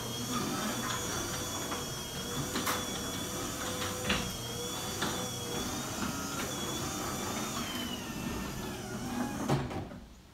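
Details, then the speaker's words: Garage door opening a few days and 5–6 cycles after lubricating the moving parts with lithium grease: the opener drones steadily as the door rolls up with only faint chirps, and the former scratchy squeal is gone. "sounds a lot better and I want to close the door now and see how that sounds"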